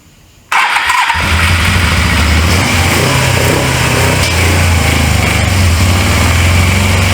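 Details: Early-1980s Suzuki GS450A automatic (1983), after coil, key switch and wiring fixes, first start in years: catches quickly, then holds an uneven, lumpy idle that surges and stumbles; carburetors are dirty, so it only runs on choke.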